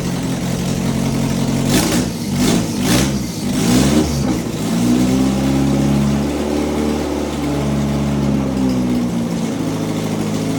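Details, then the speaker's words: Fully built B18 non-VTEC AWD Honda Integra, first start: several throttle blips, then the engine sags and hunts unevenly instead of settling. Won't hold idle because the idle control valve is unplugged. "I didn't have the idle I didn't have the idle control valve plugged in cuz it was actually running good."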